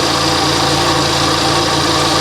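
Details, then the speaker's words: Kia Optima at auction, idling with hood open, back of engine wet with fluid: steady hissy whir over a smooth idle with no knock; alternator charging, suspected idler or tensioner pulley accessory noise. "Okay, so there's an accessory over here making a ton of noise. That's for sure. Hopefully it's an accessory."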